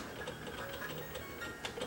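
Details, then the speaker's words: Sony EVS7000 Hi8 home deck during tape playback: faint uneven ticks and small rattles over the quiet mechanism; suspected cause is a cassette in/out detection switch not fully detecting and trembling. "This thing is making noises when it's playing."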